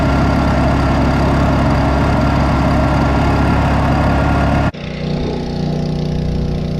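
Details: Two-stroke engine after carb rebuild (ultrasonic cleaned), new fuel line and blown-out reused fuel filter: strong steady howl at high revs, then a clean drop to an even settled idle; healthy.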